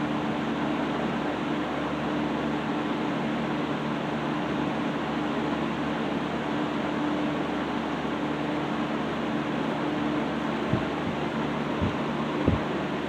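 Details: 1960s Phionex 16" box fan by Frigid with General Electric motor, freshly cleaned and serviced; warming up, run on high then back to low for proper speed. Steady even hum, soft air whoosh, no rattles or scraping; normal running.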